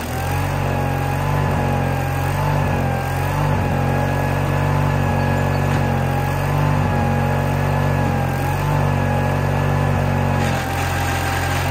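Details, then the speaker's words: Case 1816C skid steer sat 10+ years, starter realigned and tires aired: strained, uneven low diesel drone dipping as it labors and barely moves; owner suspects a really loose pump, left side not moving. "okay so it kind of moved didn't sound too well though um I think what the deal is is why it don't sound too good is that pump's really loose"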